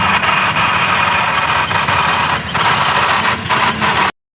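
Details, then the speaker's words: Alto at idle with owner complaint of noise: rough scratchy grinding from the gearbox; only about 100 g of gear oil drained, noise stopped after refilling with new gear oil. "इसमें gear oil खचखच की जो आवाज आ रही थी गर oil से"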